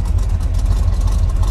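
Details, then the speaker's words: 1981 K5 Blazer V8 at idle after starting on the first turn of the key, with a deep, even rumble and no knocks, misses or ticks; good oil pressure and battery voltage, owner notes occasional belt squeal from painted-over pulleys. "starts right up first turn of the key holds good voltage on the battery"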